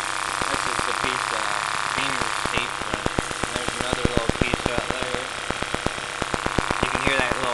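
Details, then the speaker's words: 1995 Honda Civic H22A, first start of the day, idling with lots of water from the exhaust: fast, irregular light flutter over the tick, possibly loose tape, unsure; valve cover has two broken studs, small leak under thermostat. "hear that little flutter stuff. That's the tape, I think."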